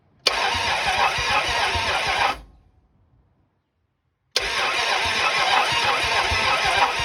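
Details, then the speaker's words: 1974 Dodge Challenger 318 after a new mini starter, battery cable and ignition relay, plugs installed: slow, laboured cranking at about three turns a second, pausing, never firing, with no oil pressure and a burning smell. Battery suspected weak; compression check planned. "it sounds awfully weak but it is cranking"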